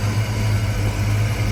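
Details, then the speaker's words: Ford Fox-body Mustang SSP 5.0 V8 idling after the no-start cause was found: a steady, even low rumble, no misses or knocks, quiet, and the earlier header noise is gone. A healthy idle. "it's not shaking other than what I would consider normal no weird noises pretty quiet"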